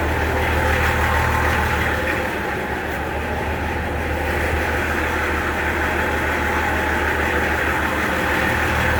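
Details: Nissan LD28 diesel in a 40 series Land Cruiser, started after sitting unrun for years with a glow: even, steady diesel clatter at about three beats a second, no misses or knocks. Healthy normal idle.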